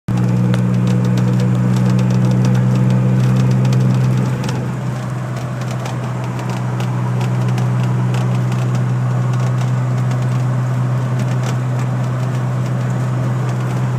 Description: Weird noise that my DeLorean has